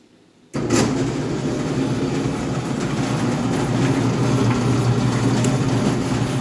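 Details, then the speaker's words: Samsung dryer with a previously replaced blower wheel starts and runs with a rough, uneven rattle over its low hum; the technician is unsure and guesses the motor, while the finding is a loose blower wheel. "some kind of rattle um I've I've done a lot of drives in the past usually squeaking squealing um uh bumping noises is usually the brers this one I'm a little boggled"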